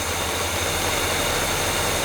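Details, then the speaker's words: Restored GMC 3500 pickup with Quadrajet carburetor, after correcting a wrongly fitted carburetor base plate: low, even V8 burble at steady idle with no misses or knocks; solid running motor, normal idle. "it seems happy right there that's a solid running motor right there"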